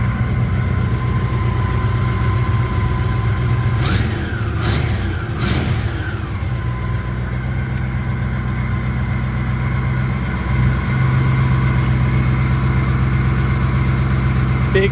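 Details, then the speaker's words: 1961 Buick Skylark engine at first startup after work to fix oiling problems: steady even idle with a smooth low rumble and a few brief blips, no knocking or ticking; normal idle. "was extremely excited last weekend when I was able to fire this thing up and it actually ran very, very well after all the work that we put into this engine to resolve some oiling problems and other little things that were going on. So, here's a video on that particular startup so you can hear how it runs."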